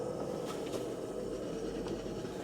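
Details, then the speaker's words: BMW 650i E64 N62 V8 test drive after new gearbox mounts, driveshaft flex disk, right motor mount and diff bushing: smooth road hum, no clunks; slight rubbing on a heat shield heard; clunk fixed. "Yeah, I hear it. I hear it rubbing on the heat shield. Okay. No clunking though."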